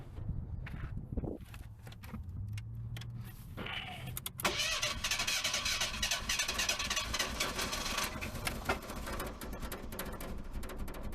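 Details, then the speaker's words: Barn-find car, won't start after repeated cranking; starting fluid sprayed in, starter cranks steadily at even rhythm but never catches. Owner suspects bad fuel pump; crank no-start. "okay it won't start and I have cranked cranked I'm going to put a good bit of this I wish I had somebody to spray it while I did it this should fire it"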